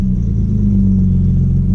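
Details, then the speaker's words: Audi B5 S4 after a new 3-bar MAP sensor and a tune calibrated for it, engine still cold: a smooth, even note that then climbs cleanly with no misses or rattles; it revs normally. "It's still cold. But yeah, it seems to rev normal."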